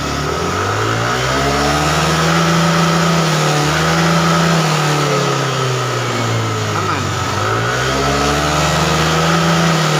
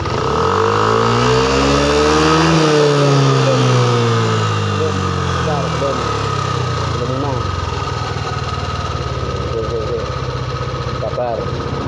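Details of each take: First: Yamaha Aerox injection scooter that blew its 7.5 A headlight fuse and lost all electrics when revved past mid-throttle, from a pinched wire; here revs rise and fall smoothly to full throttle without cutting out, running normally. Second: Yamaha Aerox injection scooter revved to half throttle with the pinched, stripped wire touched on: revs climb briefly then collapse as the 7.5 A headlight fuse blows and electrics die totally.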